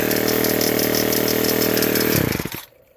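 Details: Ryobi S430 4-cycle trimmer buzzing at speed with an annoying light clicking/ticking over it, then shutting off and winding down; cause unknown.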